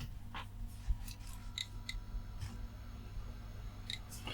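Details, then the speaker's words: Flea-market desktop PC gives repeated sharp clicks, roughly one a second, over a low hum but never starts; power supply clicking and cycling. "okay let's start to make a little clicking made several little clicks well you hear that doesn't work"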